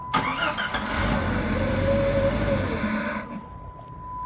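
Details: 1997 Jeep Grand Cherokee 4.0L that had a crank-no-start, with a new PCM and crank sensor. Once a new cam sensor restored the signal, the engine catches and settles into a steady, even idle with no misfire; normal idle.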